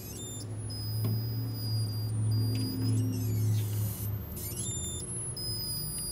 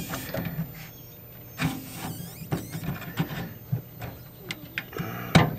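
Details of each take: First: 1956 Zenith 17X20 vacuum-tube black-and-white TV recovered from a desert dump: thin, very high whine slides down in pitch as a part is rotated; cause not confirmed. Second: 1956 Zenith 17X20 vacuum-tube black-and-white TV recovered from a desert dump: thin, constant very high flyback whine under clicks and knob handling; high voltage present, later measured at 12–13 kV.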